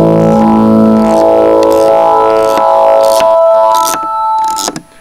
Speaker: so all the sounds work but you still have a click i don't know where the click is coming from